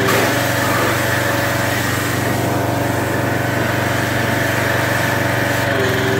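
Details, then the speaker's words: Craftsman 2700 psi pressure washer, Briggs OHV single-cylinder, after the unloader was cleaned and the washer reassembled: a steady, even putter at constant speed under rain hiss, no hunting or misfire. It idles cleanly with no leaks, and the unloader works. "it's idling well and you'll hear it you'll hear the unloader work okay"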